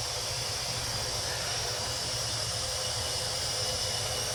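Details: 2003 Chevy Silverado 2500HD 4x4 6.0 with P0300 misfire code, leak-down test with both valves closed: a steady high hiss of air escaping out the exhaust, a burnt exhaust valve.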